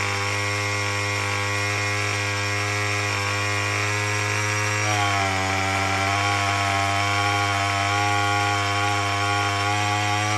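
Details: Murray M2510 two-stroke string trimmer, previously a no-start with broken-off choke lever, now running after a cheap quick fix: revving high and steady with a buzzy whine and a clean pitch shift, no misses or sputter; running normally.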